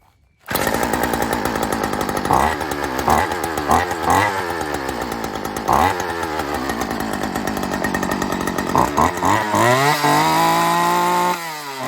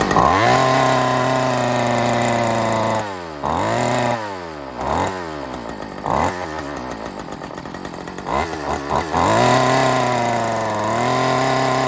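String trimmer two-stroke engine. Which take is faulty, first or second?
second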